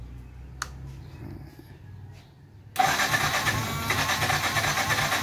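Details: Yamaha FZ16/FZ 150 motorcycle, hard to start in the morning, especially when the engine is cold: quiet stretch, then the starter kicks in and a harsh, uneven churn follows; reluctant cold start.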